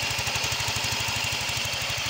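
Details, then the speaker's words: Yamaha Mio 125 (Mio M3) scooter with rough engine noise: a steady fast ticking of about nine a second over a rough idle; a weakened cam chain tensioner is letting the cam chain slap. "Ee jadi ini yang rusak itu adalah lift Tensioner ya ini ya teman-teman ee atau pengatur dari rantai keteng itu ya teman-teman ini untuk"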